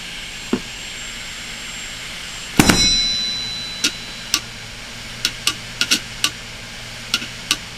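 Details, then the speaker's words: Failing desktop hard drive running with the cover off, shown as a drop demonstration: quiet hum broken by sharp, irregular clicks every half second or so as the drive struggles; the heads are damaged. "I'm going to demonstrate you know what can happen let's say a hard dis gets dropped pretty badly"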